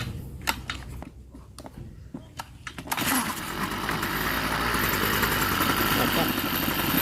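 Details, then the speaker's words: Stihl two-stroke small engine (lawn trimmer) that started but would not rev; exhaust port carbon blockage suspected and cleared. After repair it catches after a few starter pulls and settles into a smooth, even, quiet idle. "นิ่งดีครับเงียบดีครับ"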